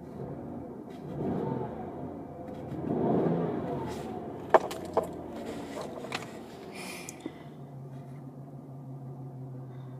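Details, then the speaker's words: 2002 Ford Escape XLT V6, 120,000 miles, check engine light on: two throttle blips swell and fall with an unsteady, stumbling note and clunks as the car shakes violently at idle; cause unknown. "car is just shaking violently right now"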